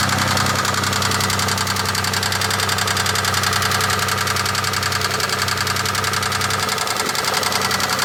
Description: Can anyone help me identify this sound? It sounds like a Push Rod to me..